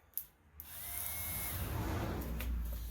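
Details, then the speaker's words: 2015 Bashan Storm 250 on a jump pack, starter relay bridged with a screwdriver: a couple of clicks, then a free-spinning electric whirr with no compression pulses. The starter turns without engaging the engine; missing wiring is suspected. "i don't know if y'all can hear that but it is the starters turning so i don't know if some wiring that's missing here it's causing it to not connect"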